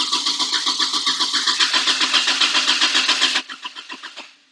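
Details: 2001 Toyota Tacoma 2.7L manual, about 354,000 miles, stalled while driving: steady even cranking at about four turns a second for three seconds, slowing as released; engine never fires. Cranks but won't start.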